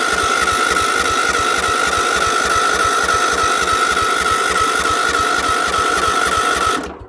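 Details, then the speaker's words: Small engine on a cold start: the starter churns at a steady three-plus beats a second with a whining drive but the engine never fires, despite a smell of fuel. Owner blames a misadjusted governor linkage; cause unconfirmed. "yeah i do smell gas but like i said this thing is a bit of a bugger the linkage on the governor's actually um screwed up on it a bit so this that's why it doesn't want to start"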